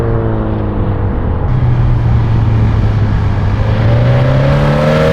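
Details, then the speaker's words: 2013 Subaru BRZ with a GReddy Evo GT exhaust after the leak was fixed with a 2.5-to-3-inch adapter and a donut gasket: a deep, smooth note that rises cleanly under load, with no ticking or puffing and only a mild drone. "That sounds so good. I'm so happy with how it came out."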